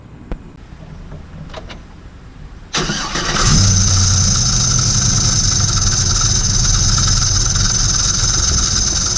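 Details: GM LS V8 starts and idles with harsh gritty grinding and high-pitched hiss; belt pulled to isolate accessory.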